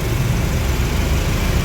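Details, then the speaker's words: Suzuki Swift, engine idling with AC on: low rough steady droning hum and vibration felt at the steering, hiss-like, gone with AC off; AC pressure hose leaking oil, to be replaced first; expansion valve or compressor also suspected. "Nah, terasa tuhya kasar. Tapi AC-nya sih dingin di apa dipegang selang host-nya dingin ya. Oh ini juga agak bocor ya selang ininya ya."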